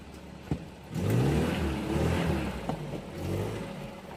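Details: Peugeot 504 starting: brief crank, catches within a second, then settles to an even idle with blips; starts cleanly with no hard start.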